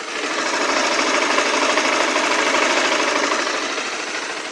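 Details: Motorcycle single-cylinder engine revved after changing to common 10W-30 oil: brisk, even mechanical chatter, steady with no uneven knock; the clatter heard for almost a year is resolved, normal running.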